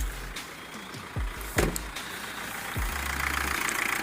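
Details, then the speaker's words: Mitsubishi Triton diesel pickup after repair idles evenly with a low, steady rumble, no shake or misfire; previously no power, rough running, long cranking and check-engine light, now revs past 3000 rpm. "kalau kita lihat di sisi mesinnya juga sudah normal ebrard sudah stabil tidak goyang lagi"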